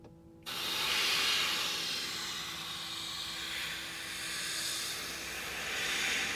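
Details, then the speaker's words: Tesla Model X window with its rubber seal and trim taped over, window rolled up, air compressor blown along the seal: an even, steady airy hiss with no whistle or fluttering peaks; the sealed window is not leaking. "So basically kind of no problem, right? Or sounds pretty consistent anyway."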